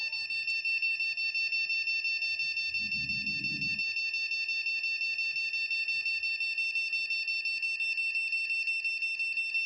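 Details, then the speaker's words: Continuous steady high-pitched beep at power-on from a DDR2 desktop motherboard (RAM slot reading about 1.8 V) with a DDR2 RAM stick fitted, no display; indicates the RAM or RAM slot is faulty or the module is poorly seated. "এই ধরনের continue যদি একটি beep sound হয় তাহলে বুঝতে হবে RAM slot অথবা RAM সঠিকভাবে কাজ করছে না।"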